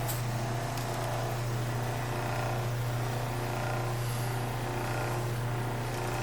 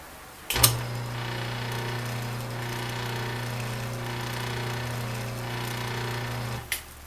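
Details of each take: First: 1936 Maytag Model 30 washing machine motor after about 20 minutes running unloaded with the belt off: steady, even low hum with no knocks or scraping; the motor is warm on top but not hot. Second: 1936 Maytag Model 30 washing machine motor running with the belt removed: low hum that rises and falls rather than holding even; owner suspects this is because the motor is not bolted down.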